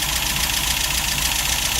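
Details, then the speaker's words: Old vehicle, just started: engine runs hissy, uneven and lumpy, with the center two spark plugs noted as non-firing; misfire, running better as it warms up. "I notic it's got two spark plug non fowers on the center two"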